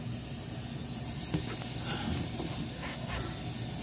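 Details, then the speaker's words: Walk-in cooler with Heatcraft Intelligen controller freezing product; constant soft hiss of refrigerant leaking by the electronic expansion valve while commanded shut, so it won't pump down, later fixed by replacing the EXV actuator. "we're popping this cover off i can hear it leaking by um it's not real bad"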